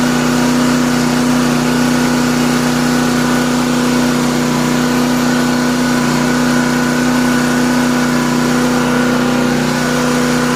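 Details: Classic Honda 2500 W generator, sat over four years, started after an oil change: runs at a steady, even speed with a clean constant hum, no hunting or misfires.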